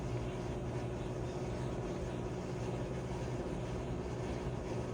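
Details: Whirlpool/Maytag commercial top-load washer MVWP576KJ/1 after agitator repair for grinding, not washing or spinning: steady low rumble of drum spinning evenly during drain and spin, no grinding or scraping; normal.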